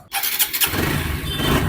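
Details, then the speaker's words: TVS Apache 4V motorcycle after an engine rebuild (piston, bore, valves, rockers, camshaft, timing chain, main bearing replaced): a quick crank, then a clean, even idle with no ticking or rattle; a healthy start. "Start हो गई है और इसकी engine का sound आप सुन सकते हो कुछ इस तरीके से साउंड है बिल्कुल भी कोई भी चीज ऐसी आवाज नहीं कर रही है इसके अंदर में बिल्कुल क्लीन आवाज है"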